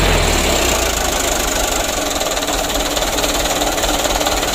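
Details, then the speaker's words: Mitsubishi Canter 125 PS Super Speed diesel after new injection pump and governor spring and throttle stop adjustment: loud diesel rattle picking up cleanly as throttle opens, even pulses, no misses or knocks; good throttle response, normal diesel revving. "gas-gasnya lumayan"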